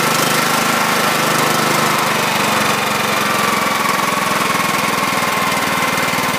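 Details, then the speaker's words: 2006 John Deere L110 with Kohler Command 17.5hp engine, first start after sitting 2 years: new battery, stale gas drained, overfilled crankcase oil reduced. Rapid, even single-cylinder chatter with no misses, a little oil burning off the muffler: normal running. "so so that turned out pretty well i'm happy with that a little bit of oil burning off of the muffler"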